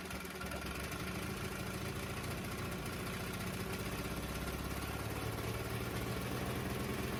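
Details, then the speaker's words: Traded 18hp Briggs and Stratton horizontal-shaft V-twin on a makeshift water-bottle gas tank, throttle held well open: steady, even twin-cylinder beat at fast idle with no misses or knocks; both cylinders firing, running healthy. "but everything runs like it should starts up good now and uh life is good man"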